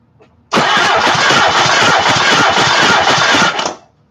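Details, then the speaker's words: 1991 Mazda Miata burning oil, cranked during a compression test. Steady cranking with soft, even pulses and no catch, reaching only about 90 psi on the cylinder. Low compression, with bad valves or rings suspected. "yeah that was poor that was worse this time I only got up to 90"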